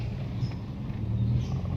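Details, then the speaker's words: Toyota Yaris automatic, after the loose bolt locking the lower-arm bushing was fixed and the shock absorber mount replaced: a soft low drone pulling away, with no knock or clunk from the front wheels that had banged before. "Nah kalau pas angkatan gini kemarin bunyi kencang bunyinya ini sudah enggak bunyi ya"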